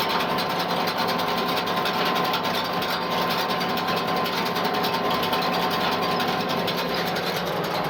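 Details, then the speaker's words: Hay rake pulled by a tractor, set too low in thin grass: rapid rattling clicks and scraping over the steady tractor drone as the tines catch the ground and hit the other bars. "Raking the ground a little more than I want to. You can hear it. It's moving the tines on the rake there now. It's hitting into the other bars and clicking off the ground."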